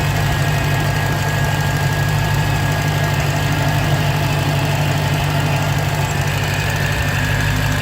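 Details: 2015 Dodge Challenger Hellcat supercharger at idle: a faint thin whine over the low rumble, sometimes loud enough to hear from the driver's seat. Owner suspects an early bad supercharger bearing; unconfirmed.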